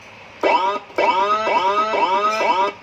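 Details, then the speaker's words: Sirino siren module on a 12 V supply driving a speaker, before repair: choppy, harsh, buzzy crackling instead of a clean tone, like a short circuit. Distorted output from a failed amplifier IC; the TDA2004 IC was later replaced. "Nah, ngerosok kayak gitu suaranya. Dan cat juga sama. Ini kita pencet juga sama kayak gitu, kayak suara konslet."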